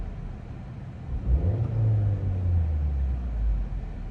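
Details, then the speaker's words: Rebuilt salvage Vauxhall Astra GTC that previously misfired, after disassembly and reassembly, at operating temperature after about 20 minutes: low even idle with one rev blip, no stutter or shake; normal idle. "Honestly, it's smooth as anything. Sounds good."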